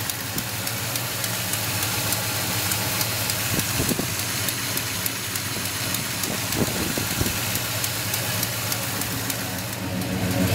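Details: 1972 Monte Carlo V8 idling with a regular ticking puff, about three or four a second, from an exhaust leak.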